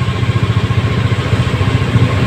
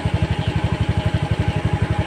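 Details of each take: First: Honda Scoopy eSP with a non-working idling stop system, repaired by bypassing the idling-stop switch and raising idle to 1600 rpm; even, steady low putter at the raised idle with no misses or hunting, idling smoothly and normally. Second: Honda Scoopy eSP scooter with idling stop not working, idle measured at 1432 rpm against the 1600 rpm minimum needed; even, slightly slow single-cylinder thump; idle speed too low, so the engine did not stop.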